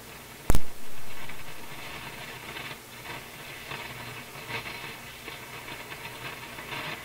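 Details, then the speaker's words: Nordmende console tube radio, AM working but FM not: one sharp pop, then irregular faint crackling bursts over steady hiss; defective IF suspected but could be many things, tube contacts to be checked. "Well, okay, the crashing sound. Sounds like a defective IF, but it could be lots of other things."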